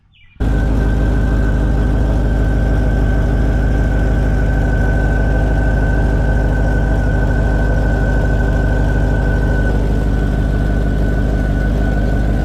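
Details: 2000 Chevy Tahoe 5.3 V8 started on the lift after rear main seal replacement, with transmission, crossmember and driveshafts reinstalled; catches and settles into a steady, even idle with a faint constant whine, no knocks or misses; normal.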